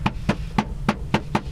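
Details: Maruti Alto K10/Alto 800 cabin rattle: six sharp hollow plastic knocks, about four per second, as the trim is tapped; loose dashboard panel knocking against the cowl cover.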